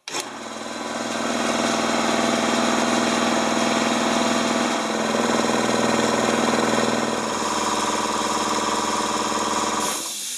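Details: Air compressor after oil change, air filter and belt check and repair of a worn-through electrical wire: starts and settles into an even pumping thump about four per second with steady motor drone; healthy operation.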